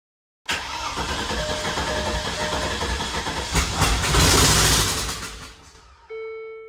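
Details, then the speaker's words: Abandoned 2003 Land Rover Discovery 2 after a new inertia switch restored the fuel pump: several seconds of laboured cranking with no start, then it finally catches once a little throttle is given. "I was honestly pretty disheartened, but I said the hell with it and I gave it a little bit of throttle and then this is what happened."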